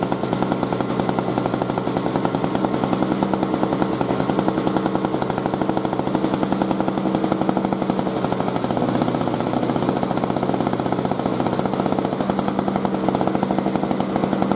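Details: 2003 Murray single-stage two-stroke snow blower, first run in 5 years, revved up to test torque: a crisp, rapid buzz held at high revs with even firing and no misses or sputter; normal running.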